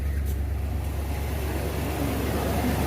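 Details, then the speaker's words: 1992 Ford Bronco 5.0 302 V8 after replacing the failed harmonic balancer (cause of rough shaking at idle) and the leaking water pump: deep, steady, even idle with no lope, shake or misses. Normal idle. "look at that no shaking no hesitation smooth idle everything's nice and lined up"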